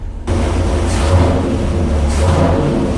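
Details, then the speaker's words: Original 1968 Chrysler 426 HEMI with factory solid-lifter camshaft, cold idle on the dyno before warm-up, choke tied open, oil pressure good: deep, lumpy V8 rumble with faint mechanical clatter; normal idle. "If you guys can listen to the idle, that's the idle of Elephant, the Holy Grail of Chrysler. Listen to that idle. That's a factory camshaft in there. Solid lifter, 1968."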